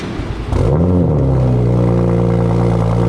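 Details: 2008 BMW 335i E92 with FI exhaust, cold start: starter whirr, quick catch and sharp rev flare, then settles to a smooth, steady high cold idle; sounds healthy.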